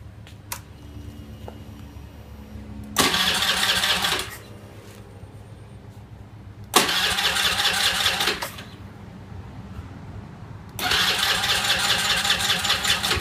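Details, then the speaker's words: Honda Zoomer X motorcycle that starts hard or not at all; the customer ran the battery flat trying. Three cranking bursts of about 1.5 s each, the starter spins but the engine never fires. "รถคันนี้มีปัญหาอาการอยู่ว่าสตาร์ทติดยากหรือสตาร์ทไม่ติดเลยนะครับ"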